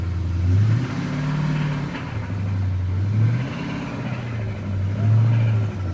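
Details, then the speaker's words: 2010 Dodge Challenger R/T Hemi V8, six-speed TR6060 manual, about 153,000 miles, oil pressure code, only about a quart of oil drained. Blipped briefly with no oil pressure: deep bottom-end knock under revs. Horrible rod knock; engine is blown and being pulled. "I picked it up for a pretty good price because the motor is blown it's got a horrible rod knock"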